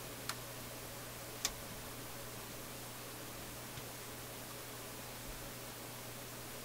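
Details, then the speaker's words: Philips console stereo receiver/amplifier on auxiliary input: faint hiss and low hum with a few sharp, random pops and clicks through the speakers. The owner suspects a resistor. Intermittent popping and clicking, cause unknown. "I heard some popping and clicking here. Oh my. What bad thing have I done?"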